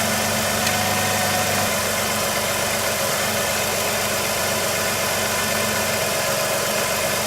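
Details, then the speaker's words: 2005 Jeep Liberty just after alternator replacement, engine started and idling: steady, even idle with a smooth hum and no knocks, ticks or whine, much quieter than before; normal idle. "Nice and quiet, a lot better than it was before."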